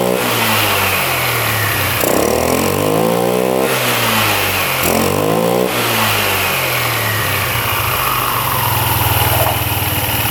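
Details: Free scooter restarted after refitting a loose clamp and bolt that caused a noise: settles into a clean, even idle, revs rise and fall smoothly with no rattle or knock; engine sounds healthy.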